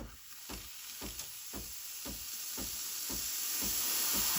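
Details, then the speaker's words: Breville Barista Express BES870, switched from coffee mode to steam mode after purging hot water. The pump pulses, a pulsing hiss about three times a second that grows louder and stronger as steam pressure builds to full, a normal steam wand. "once the pump pulsates I don't know if you can hear it but it goes when you hear that that's when the machine starts producing Steam and if you give it a few more seconds it will be even stronger pressure"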